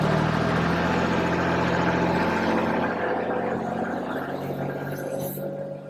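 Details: Kubota RTV1140 diesel side-by-side, after repair of long cold-start cranking where glow plugs were not firing: fires quickly on glow plugs and settles into an even, steady run with no misses or knocks, a smooth hum easing down.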